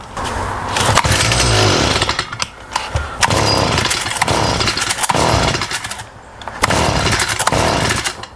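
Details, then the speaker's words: STIHL FS38 two-stroke trimmer before repair, carburetor already rebuilt and adjusted, spark arrestor cleaned: starts but runs intermittently and primes poorly, revs surge then sag unevenly; bogging from a faulty carburetor. "It does start. The only thing is it runs intermittently, doesn't prime well as well, so that's another issue. And the main issue is it bogs."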